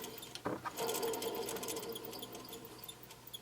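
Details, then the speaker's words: Alternator from a 2002 Chevy Avalanche 1500 5.3L, spun by hand: a dry, rough clattering rattle that fades as it slows, from a worn dry bearing; the lights were flashing. It was replaced along with the belt and idler pulley. "listen this alternate your bearings slacking it we goes up and down dry bearing and repping out-of-staters there's my problem"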